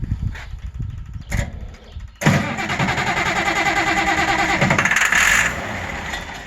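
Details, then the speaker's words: Auction-bought 190 XT tractor diesel, with a temporary fuel pump, hot batteries and ether, cranks with a steady churning rhythm and a few coughs but never catches. Diesel is not yet reaching the injectors; crank-no-start. "It's definitely not getting diesel fuel up to the injectors yet, but that really don't mean anything considering let's crank on it for 5 or 10 seconds here with."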